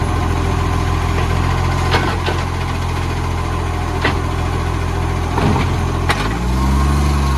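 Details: Cessnock garbage truck (fleet number 45): deep, steady diesel idle with scattered sharp ticks and puffs over the rumble. Exhaust leak suspected.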